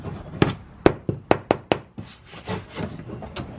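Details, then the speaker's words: Infiniti G35 panel with heavy Bondo tapped: irregular dull, dead knocks; the filler is cracked at the bottom and the owner plans fiberglass Bondo. "ain't gonna lie that [ __ ] cracked on the bottom bro we gotta get that fiberglass Bondo up on Deck"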